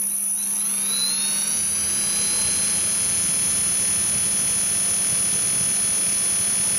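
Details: Align 450M helicopter motor, with the mid-section grinding still present after the upper and lower main shaft bearings were replaced: spins up to a steady high whine with a rough, gritty grinding underneath; the owner suspects the motor's inner bearings.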